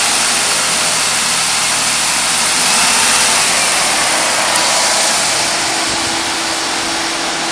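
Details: 1993 Ford Taurus SHO manual: fast, even knock about three per second under heavy hiss at 2500 rpm, similar sound pressing clutch in at idle; owner unsure if throwout bearing chattering or bad rod bearing.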